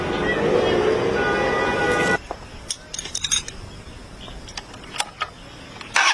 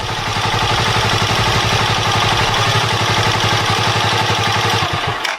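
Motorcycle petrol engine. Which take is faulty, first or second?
first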